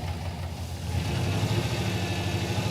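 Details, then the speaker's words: 1986 Pontiac Firebird Trans Am V8 with aftermarket ECM harness: uneven lumpy idle with loping beat, one bank has at least one dead cylinder, running on six; plug wires measured fine, plugs suspected. Misfire. "Yeah. This is not happy over here. Yeah. The engine doesn't run right. It's running on 6 cylinders."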